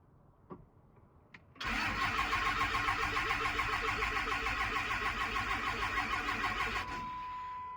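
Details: 2006 Cummins diesel (3rd gen) bought not running: strong, steady cranking at about 3.5 beats a second for five seconds, never fires, then stops. Battery seems healthy, grid heater working, blowby checked, fuel filters changed, no codes. Crank, no start.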